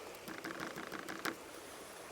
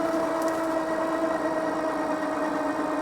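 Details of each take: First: Mokwheel Obsidian ST 2.0 e-bike (750 W, Class 2) on dirt and gravel trails: a quiet, irregular clatter of light tinny taps over riding noise from the rattling front and rear fenders, which the rider plans to remove. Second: Mokwheel Obsidian ST 2.0 e-bike unlocked, on throttle only up a steeper hill: a thin, steady electric whine over road hiss eases lower as speed falls from 24 to 17.2 mph; the hub motor is working normally under load.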